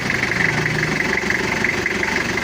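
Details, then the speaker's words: Toyota Kijang diesel after repair of coolant overflowing into reservoir: even idle clatter, steady rhythm, no knock or misfire; now normal, cool-running, tappet clearance set, before test drive. "suaranya udah normal dan udah adem klintingnya udah dapat"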